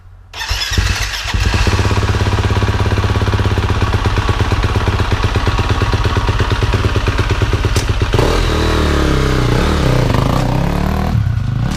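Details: KTM 250 SX-F four-stroke dirt bike, after sitting a year, started after an oil change: fires quickly, settles into a steady, even thump and revs cleanly back down; healthy engine, bike works great.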